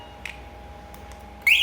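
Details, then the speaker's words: MP one-way motorcycle alarm module, just after remote synchronisation (yellow and orange wires separated, power reconnected): quiet hum, brief chirp, then a loud warbling high-pitched siren; the alarm works normally. "nah lalu kita coba Apakah alarmnya fungsi atau tidak oke oke bisa ya"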